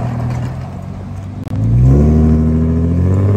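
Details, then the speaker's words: Infiniti G35 coupe after flex pipe/Y-pipe replacement: the engine catches and settles into a deep, even rumble with a steady low note and no puffing or ticking; the exhaust leak is fixed. "oh that sounds so much better guys oh my god i'm so happy to finally have that fix"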